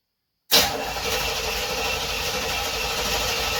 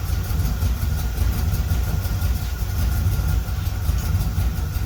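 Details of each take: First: 1976 Corvette Stingray unstarted 8 to 10 years, after new fuel lines, fuel filter, 20 litres fresh fuel, fresh oil and filter: starter spins the engine at a steady even rate but it never fires; cranks, no start. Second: 1976 Corvette Stingray V8 first run in 8–10 years, fresh filter, idle screw turned up, warming up, oil pressure good: steady, even low rumble with no misses, knocks or hunting. Smooth, settled idle that ran pretty well.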